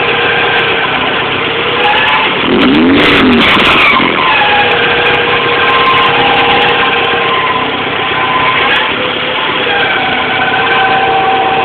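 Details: Toyota MR2 engine running: steady high squeal with wavering chirps, screeching/squeaking from the engine bay, source unknown.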